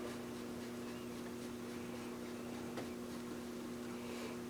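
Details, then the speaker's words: 1940 Stromberg Carlson 400H AM tube radio brought up slowly to about 117 volts with no antenna connected: faint, steady low hum under soft static from the speaker. Owner suspects bad capacitors. "I'm going crank it on up to about 117 volts. And I'm hearing a little bit of a hum in the speaker."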